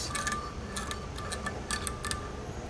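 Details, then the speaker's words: ProTeam Super Coach Pro 10 vacuum motor spun by hand: dry, irregular ticking and rattling as it coasts down; worn, failed motor bearings. "and then if we spin it we can hear that this motor is pretty bad"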